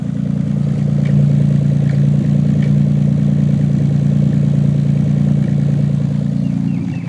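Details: 1990 Nissan 300ZX, warm idle, with the #4 injector (a recently fitted used one) plugged back in after an unplug test: lumpy beat with sporadic exhaust popping, about 3 per second, driver side. Intermittent misfire; connector new, coil good, cause unconfirmed.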